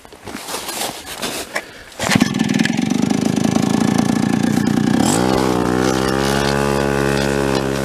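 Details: Late-1970s Chrysler Sno-Runner two-stroke snowmobile, abandoned in a barn 45 years, after last-minute repairs: pull-start clatter, then it fires, revs briefly and drops to a steady, even idle, running cleanly.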